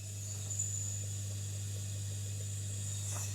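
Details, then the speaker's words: Alfa Romeo Giulietta QV, cylinder leak-down test with crank at top dead centre and airline on the gauge: steady faint air hiss over a low hum, about 45% leakage. "Okay. So, slightly less of a leak around 45%. And I can hear a leak."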